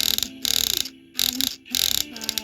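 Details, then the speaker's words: Singing Zombie Fish toy mouth motor: rapid clicking and grinding as gear teeth skip because the bracket holding two shafts down isn't holding them. "So this is the reason that the zombie fish is so unreliable and does that clicking and grinding thing."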